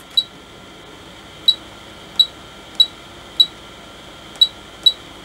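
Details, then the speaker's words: Agilent E3633A linear power supply under repair, display not fitted, membrane fitted. Pressing the output on/off button gives short, clean, high-pitched beeps of even pitch from the piezo beeper on the main board. Normal key-press beep. "power up there we go and i'll just hit the button and yes i can hear a beep on off"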